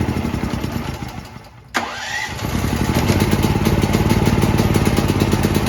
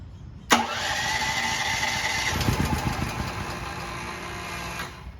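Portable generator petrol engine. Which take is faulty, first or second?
second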